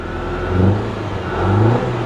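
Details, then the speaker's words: 2023 Corvette C8 1LT V8, revving: a rough, uneven drone that doesn't smooth out with throttle, misfiring badly though it seems to clear at some RPM. "no I don't know it feels like under a certain RPM it feels like it clears up it's definitely misfiring pretty pretty bad"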